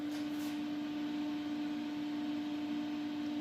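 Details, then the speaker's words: Disco DJ unit cooling fan switched on: steady even mid-pitched hum with soft airflow, no ticking, rattle or wobble; normal fan running. "yeah I know it sounds probably noisy on the video I don't know that it's really pretty I thought they can't hear that I can hear that more because it's blowing our sucking air out"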